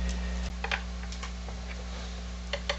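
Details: JVC HR-J693U VCR that was dead, switching on after its failed capacitors were replaced with properly sized ones; steady low mains hum with a few light clicks, boots right up with no fault noise. Normal power-up.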